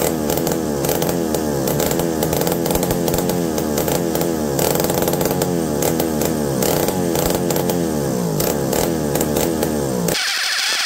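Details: McCulloch D44 direct-drive two-stroke chainsaw revived: steady buzz, pitch rising and falling smoothly with throttle, no misfire or stumble, running properly.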